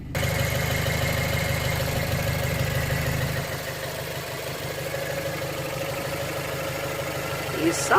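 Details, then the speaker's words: 2008 BMW 116i, 1.6 petrol, at idle: rough, uneven, lumpy beat with occasional stumbles; code 29D0 on the engine ECU; cylinder misfire traced to an injector that was not coded correctly. "ok in the ignition ok it sounds rough definitely sounds it definitely sounds a little rough engine"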